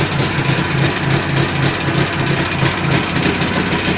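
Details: Jawa 638 two-stroke under build, tired cylinder-piston group, idling: uneven knocking about three times a second over rough idle with rattling slack chain; crankshaft knock and chain rattle.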